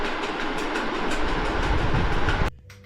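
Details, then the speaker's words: Ceiling fan before repair: harsh rattling drone with rapid jarring flutter about four times a second, stopping abruptly; worn fan bearings are the cause. "അത് എന്റെ റൂമിൽ ഭയങ്കരമായിട്ടുള്ള sound ആണ് ഉണ്ടായിക്കൊണ്ടിരിക്കുന്നത് അപ്പൊ അതിന്റെ പ്രശ്നം നമ്മൾ പരിഹരിക്കാൻ പോവാണ്"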